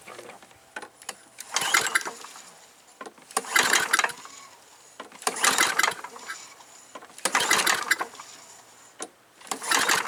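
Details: Free old push mower, primed several times and run without other repairs; possible leak at the dipstick tube O-ring: five pull-start bursts about two seconds apart, it turns over each time but never catches; fails to start.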